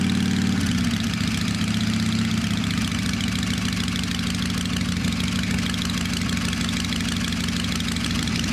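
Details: Small bike cleaned and tuned up after sitting over winter: steady, even idle with a constant low beat and no knocks or rattles; purring and running healthy.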